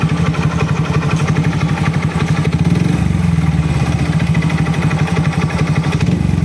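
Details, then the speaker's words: Honda XRM125 motorcycle, kick-started: a steady, hard knock over the engine clatter at idle from a worn connecting rod with excessive side clearance, confirmed on teardown. "Ito yung kanyang tunog. Pakinggan natin. May k nacking na 'yung piston ayan at yung bandang panggilid niya ah meron na"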